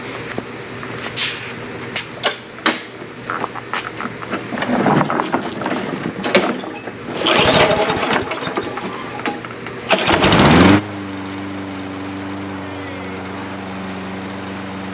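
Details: A Toro Recycler SmartStow mower, stored 2+ years and run only on non-ethanol fuel: scattered pulls and a short rev, then it settles into a steady, even single-cylinder drone. It runs fine despite the long storage.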